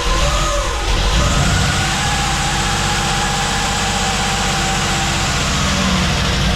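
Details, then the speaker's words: LS V8 on first start after top-end rebuild with new lifters (failed lifter, low oil pressure), exhaust not yet hooked up, smoking: fast light ticking over rough loud idle; lots of valve train noise, owner unsure if normal with fresh lifters. "And then if you can hear some noise, and I don't know if it's normal because we just changed the lifters out or what, but it's definitely a lot of valve train noise."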